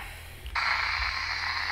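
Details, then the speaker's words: 2015 Jeep JK Rubicon, vehicle off: receiver static jumps to loud steady rushing noise, a signal radiating from the dash near the speedometer centered on 144.385 MHz, blocking the 144.390 packet frequency; source unresolved. "the noise is centered on 385 and it's interfering with the packet frequency 144 390."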